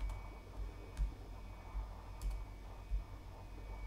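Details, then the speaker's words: 7200 rpm enterprise hard drives in RAID 5 NAS during file transfers: soft irregular ticks every half second or so, normal seek clicking, slightly noisier than consumer drives. "And again, you can probably hear the hard drive clicking in the background during this test. And that's because these are 7200 enterprise level hard drives, which are a pinch noisier than traditional hard drives."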